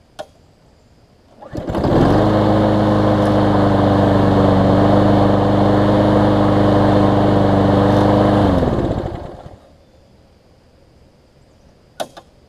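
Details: Lawn-Boy push mower after carburetor cleaning, previously sometimes failing to start when warm: restarted after about ten minutes' running, catches within a second and settles to a smooth, even run; normal warm restart.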